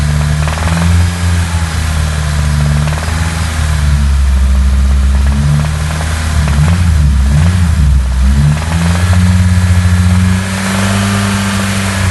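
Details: Nissan SR20DET idling and revving with a low, uneven knocking in the drone; owner unsure whether lifters or conrod are the source.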